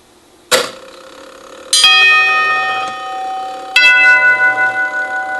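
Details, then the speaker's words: Circa 1936 NuTone Series 1 Trinity 4-note clockwork door chime during rebuild: clear strikes, but first strike flutters in its decay as the falling solenoid arm makes fluttering contact. "it rang well I think the first one the number one strike is here on the fourth tube and if you listen carefully you'll hear it it kind of flutters a little bit"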